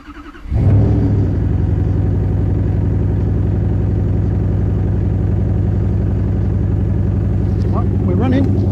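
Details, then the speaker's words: 1UZ turbo V8, first start after a fuel system upgrade with twin 044 pumps, a surge tank and an external regulator: the pumps are audible, then the engine settles into a deep, steady, even idle with no misses or knocks. Healthy. "The 044 is working because you can hear it. Oh, listen to that. So that's it, we're running, it's beautiful."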